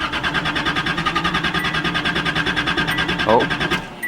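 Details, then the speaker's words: 1979 Datsun 280ZX base model, fuel pump sounds like it's struggling: steady starter cranking about three beats per second for nearly four seconds without firing; when it does run it's stumbly and weak and cuts out on throttle, like running out of fuel. "see it'll run real stumbly and weak you know for a minute or two if i give any gas at all it cuts out like it runs out of fuel"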